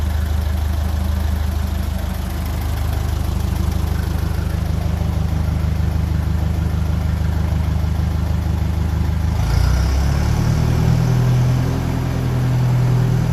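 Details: 1957 Ferguson 35 TVO tractor just after ignition timing was reset to the book specification, started on a mild evening after exhaust spitting was largely cured: steady low rumble, even beat near two per second, no misses or spitting; normal idle.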